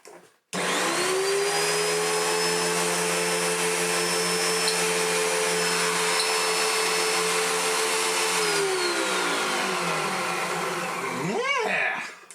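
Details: Hoover Junior (last Turbopower 1 design) upright vacuum after its spun-off fan was repaired: motor spins up to smooth high whine, holds steady, winds down.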